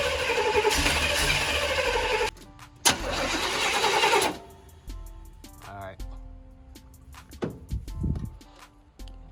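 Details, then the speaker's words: Crank-no-start with two long cranking bursts and steady starter chatter that never fire, music behind. The car has a newly fitted Brawler 650 double-pumper carb (Holley-type) after the old carb failed. Spark is present, but the plugs are fouled and need replacing. "Getting spark. Yeah, these definitely fouled out. So I'm gonna go get some more."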